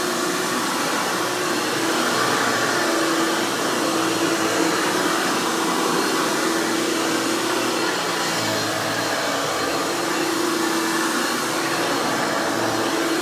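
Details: Hoover Futura (Dimension) U5213-930 upright vacuum from 1997, repaired after a damaged fan, broken wheel axle and worn brush roll: a loud, steady, high-pitched motor roar holding even with no rattles or surging, running normally.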